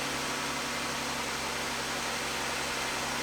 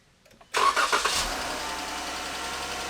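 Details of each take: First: 2015 Jeep Grand Cherokee with engine ticking, after repair and reassembly: steady quiet low hum at idle, no top-end ticking or tapping; fix confirmed. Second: 2015 Jeep Grand Cherokee 3.6, cold start catching and settling into fast idle, then revved: light ticking in the top end, lots of engine noise coming through the exhaust; valve train tick from worn roller rocker arm with play.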